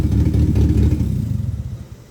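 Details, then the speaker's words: Built 2.2 Ecotec four-cylinder race car engine, fresh rebuild with Comp Cams 300 cam and custom tune, in neutral: deep choppy rumble from a blip settling to an even idle, no knocks; sounds good. "Listen to that cam and that bad boy. Sounds pretty good, actually."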